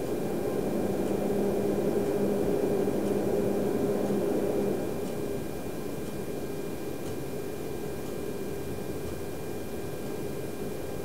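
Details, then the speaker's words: Rigol DP832 power supply after replacing the noisy stock fan with a Noctua NF-R8, startup recorded with high amplification: soft, steady airy hum with a faint even tone and no rattle or whine; fan now almost silent. "he workplace and now it's uh almost completely silent so it's uh very nice and it doesn't annoy me anymore"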